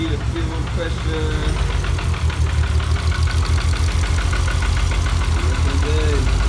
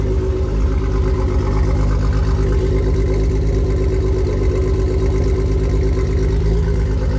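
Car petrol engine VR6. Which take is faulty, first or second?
first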